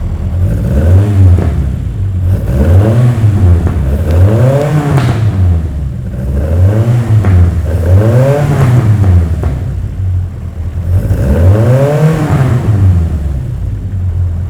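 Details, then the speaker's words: 1966 Lotus Elan after carburettors were leaned from too rich and balanced by ear: crisp, even rev blips rising and falling cleanly with no misfire or hesitation; normal revving. "But that's tuned in really nicely. I'm very happy with that."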